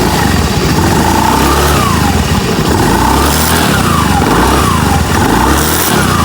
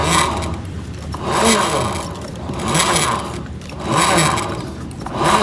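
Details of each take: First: Honda BeAT FI scooter after CVT repair for a rumbling noise: throttle blips rise and fall cleanly with no rumble or grinding from the belt drive at the rear; noise gone. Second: Honda BeAT FI scooter CVT with rumbling complaint: part spun by hand gives a rough rumble swelling and fading about once a second; worn bearings, to be replaced, all of them if one fails.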